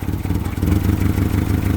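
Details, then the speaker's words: EK car with a new engine at startup, fuel pressure about 28–30 and won't go higher: uneven, stumbling idle with sputters and dropped beats from low fuel pressure. "Little sputtery on startup and you can hear it's still sputtering, but go over here to the gauge and we're at about what is that like 38 or 28 to 30ish. Won't go any higher than that and it's not very happy."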